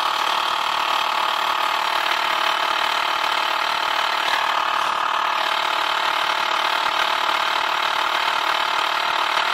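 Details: 2006 BMW 530i petrol six, 125,000 miles, at idle: light, steady ticking about three to four a second, apparently from the alternator area, started 6 months ago and not worsening. Owner unsure if alternator, belt tensioner, pulley or vacuum pump, and thinks it is not the valves.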